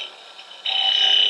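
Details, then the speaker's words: Hex hollowing tool cutting inside a mushroom bell form, overhung more than about an inch to an inch and a quarter past the tool rest: a steady high buzzing squeal suddenly jumps louder as the tool chatters against the wood. "now we're reaching the limits of what this tool can do you're starting to hear some chatter"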